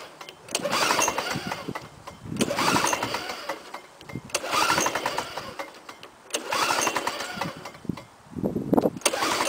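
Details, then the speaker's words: 1987 Lawnboy 5127 mower with an F engine, not run for ten years, carb cleaned, no primer: repeated pull starts on choke, turning over and catching briefly but never running. No start, probably slightly flooded. "okay take it off choke uhoh that's a no start okay so I think I got it a little bit flooded"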